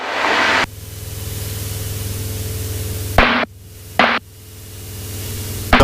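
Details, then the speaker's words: Aircraft intercom during a flight lesson: low rattly buzz with bursts of hiss cutting in and out; suspected interference from a camera placed too close, unconfirmed. "Do you hear that rattling? Yeah. What is that? I don't know. But I'm used to it."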